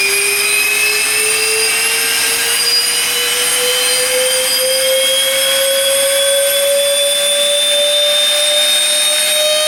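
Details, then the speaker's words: Fischer Dottikon 7" x 59" center hole grinding machine, air spindle spinning up unloaded to full speed: clean high whine climbing smoothly, no rattle or roughness; healthy spindle. "It's not that loud. You'll hear it. That comes up pretty good."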